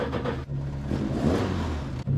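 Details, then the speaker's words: Ford Escort Mk1 with ST170 engine, on shakedown after new gearbox and paddle clutch; after throttle cable readjusted to mid-adjustment, short throttle blips drop cleanly back to settled idle without hanging; normal return to idle. "revs come down nicely now"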